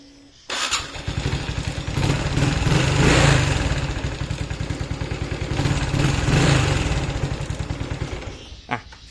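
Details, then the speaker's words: Honda Wave 110i after replacing a faulty MAP sensor (code-confirmed cause of hard starting, surging acceleration and unstable idle): engine starts at once, revs cleanly twice, steady normal idle. "โอเครู้สึกว่าบิดติดมือขึ้นเยอะนะครับแล้วก็พวกสโลว์อะไรนี่ก็ปกตินะครับ"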